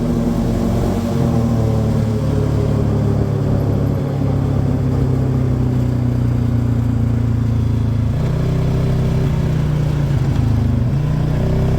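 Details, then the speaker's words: 2018 Polaris Sportsman 570, previously in limp mode (code 520 194-2, open throttle safety switch) fixed with two resistors; engine light still on: revs step up, hold, drop, climb again cleanly, no stumble; out of limp mode. "all right engine light's still on but see if this [Music] works seems good it's not in limp mode anymore"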